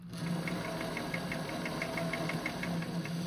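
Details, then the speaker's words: Singer 533 sewing machine after partial cleaning and oiling: light even ticking, roughly five or six a second, over a steady low hum; runs much smoother and freer. "It's sounding so much better. Way better. And that's what the machine needs. It's just a little [snorts] cleaning."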